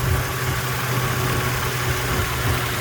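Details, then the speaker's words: 2010 Subaru Outback 3.6R Limited, 3.6 flat-six, no codes, just started: steady, even tractor-like low rumble with no knocks or misses; normal idle. "it sounds like a tractor when it starts up kind of reminds me of the old volvo five cylinders"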